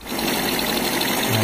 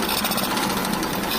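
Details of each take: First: Kawasaki Blitz small single after repair, formerly rough-sounding and smoking white: brief steady idle with a light rattle on top, attributed to the air filter; engine now sounds healthy. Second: Kawasaki Blitz motorcycle bought cheap, rough noise and white smoke, had run out of oil: harsh rapid metallic clatter knocking throughout on the engine beat; worn piston and connecting rod.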